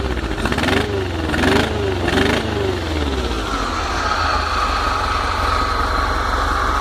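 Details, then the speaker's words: VW T25/T3 Devon camper engine just after a fresh cold start with no choke; three quick throttle blips rise and fall cleanly, then a steady fast run as the carburettor moves from idle circuit onto main jets. Normal revving. "Right from the bottom. That's the idle circuit. Then it goes into the main jet circuit."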